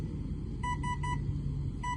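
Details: New Avian 80 A 3-8S ESC on 4S battery, resting 15.6 V pulled down to 13.5 V, 7666 RPM, 54.75 A: sharp high beeps about five a second over steady motor drone; owner assumes low-voltage warning.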